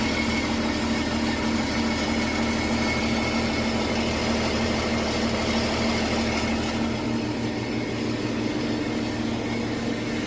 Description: 2017 Porsche Cayenne 3.0L V6 Diesel. The sound seems to come from the bottom, somewhere between the engine and the gearbox